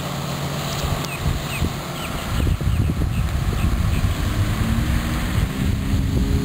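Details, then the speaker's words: Outboard on a restored 1973 Checkmate boat with new transom, after a week of test running, heard on a drive-by from shore: steady low drone over water and wind, rising evenly as the boat pulls away; runs smooth, normal. "but uh it drive is driving smooth and everything you know feels good trains them solid"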